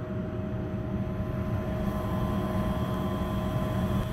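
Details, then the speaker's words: Lennox 90% condensing furnace after clearing a blocked condensate line and an improperly primed trap, running about 10 minutes with a steady drain drip: an even low hum with no gurgling or surging, normal operation. "so it's been running for about 10 minutes got a steady drip on that drain"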